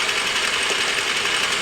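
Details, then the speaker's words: Machining a part for a 1937 Studebaker President, fed by hand through a slotted interrupted cut: harsh hissy cutting noise with a faint ringing tone, interrupted-cut chatter the machinist dislikes the sound of. "Yeah, I don't like the way that sounds."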